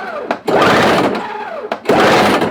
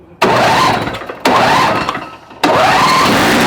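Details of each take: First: Toro CCR 1000 two-stroke snow thrower with engine swapped from old Snapper, cold start, ignition on, primed, little fuel: two second-long starter bursts, no firing; cranks but won't start. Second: Toro two-stroke snow-thrower, filter screen purged, choke on, electric start: two short cranks, then catches and holds a steady even buzz without missing; runs fine.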